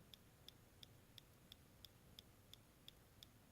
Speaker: is the clicking noise that has plagued my laptop for the past year and resulted in the death of three logic boards